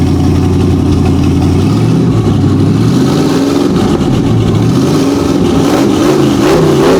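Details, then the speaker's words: Big-block V8 in a wagon project, ice cold, started by touching hot wire to the starter with no radiator yet hooked up: deep throaty idle climbing cleanly into smooth rev blips without stumbling; strong, healthy revving. "It sounds good. Smooth, man. Very, very, very smooth."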